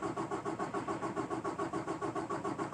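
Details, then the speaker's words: 2018 Peterbilt 579 diesel, hard start since new, after dealer replaced priming pump assembly: third cranking attempt, steady cranking about five or six compression pulses a second, never fires; starter overheat protection reached. "so that was the third attempt I'll have to go back and do the count I'm sure you can look at the video but that's three three times thirty seconds for the first two and then the starter over right"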